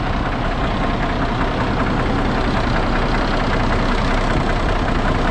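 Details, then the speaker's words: 1982 Freightliner cabover with 400 Cummins diesel: deep, even rumble at steady idle with no misses or knocks; very quiet, healthy running. "that thing is super quiet i can't believe how quiet that is"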